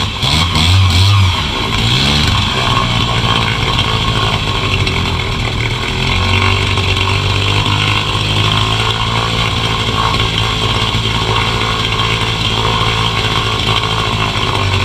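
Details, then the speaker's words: Newly bought gas outboard for a jon boat, test run: catches quickly and settles into a steady, buzzy high-pitched run with no misses or knocking. It starts easily and sounds healthy. "what it does fire up every time right away. Like, it doesn't take much to get it running, which is pretty cool."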